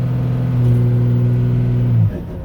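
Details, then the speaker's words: Turbocharged truck revved with its converted A/C-compressor air compressor engaged on intake boost to charge the air-bag tank; steady deep drone at raised revs, smooth and even, then cuts off. Normal. "I'll turn it on here now and watch this. Truck boost pressure with air compressor."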